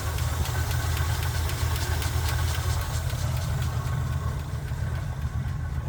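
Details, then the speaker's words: Chevy K10 pickup, 5.7L V8 small-block: light quick ticking over steady idle, unchanged pitch; mechanic suspects it comes from the camshaft/valvetrain, not normal, needs further checking. Ticking at idle. "vu ça non plus mais bon c'est probablement à des fins d'isolation de température ou quelque chose mais le tic-tac n'est certainement pas normal"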